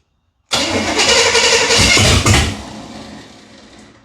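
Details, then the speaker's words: 1978 Chevy Nova, car sat for 21 years, old fuel poured down the carburetor: engine catches with a loud, ragged roar for about two seconds, then stumbles and dies as the primed fuel burns off. "Holy cow, that was really quick."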